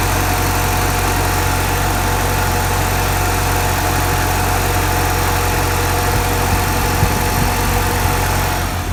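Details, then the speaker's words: Porsche 944 idle after throttle body adjustment: steady smooth idle sitting fast at about 1,250 rpm versus stock 950–1,000; high idle speed, to be lowered to 1,000. "Now it's at about 1.2.5, something like that. So we're gonna make it 1,000."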